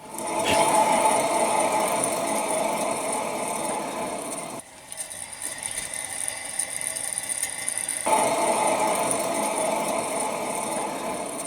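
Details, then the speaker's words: 2004 Ford F-150 2WD front wheel bearing spun by hand with tire and caliper removed, giving a gritty rattling grind with a rough pulse; growls on left-hand curves when loaded, confirming a bad wheel bearing. "that's how we know that this is the bad wheel bearing"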